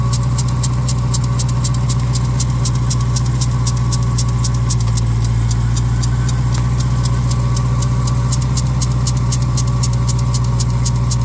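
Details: Cold idle on a 2021 Dodge Durango Hellcat: fast, steady ticking chatter over the engine from worn bearings in the lower serpentine (accessory) belt tensioner; replacing the tensioner corrected the noise.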